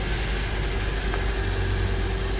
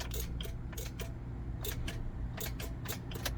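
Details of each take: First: 2008 Honda Element after the starter had been tapped: engine catches and settles into an even, steady idle with a low hum and faint constant tone, no stumbling; the engine started and runs normally. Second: 2008 Honda Element: turning the key gives rapid uneven clicking with no cranking; starter being tested, battery also considered, cause not confirmed.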